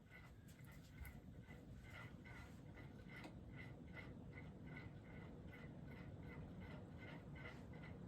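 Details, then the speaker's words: Early-1980s Magic Heat ceiling fan with small Westinghouse motor and plastic housing, on high speed: faint regular squeak, two to three per second, over soft hum; source unknown. "I don't know what's making that noise. I don't like all these noises I'm hearing coming from it. It's actually quite scary."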